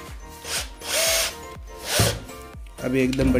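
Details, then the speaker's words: Bosch GSR 120-LI cordless drill, about 6 months old, after repair of a noisy gearbox: short bursts of even, smooth motor whir with no grinding or clatter; now running normally. "चल रही है और मस्त आवाज़ करेंगे तो आपने देखा यह बढ़िया चल रही है"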